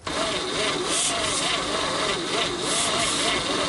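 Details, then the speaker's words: 1959 Chevrolet Apache, first start attempt in years after a battery was fitted and the points cleaned; the belt is broken. The starter spins it fast and light, about 3–4 beats per second, with hardly any compression pulses. Very low compression. "Alright, we're close right there. It ain't got much compression whatsoever."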